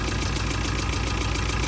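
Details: Rough idle on a newer TATA 2.2 diesel with warning light on: heavy, uneven low clatter and shake; injection pump timing marks found misaligned, later reset along with injector coding and timing belt replacement.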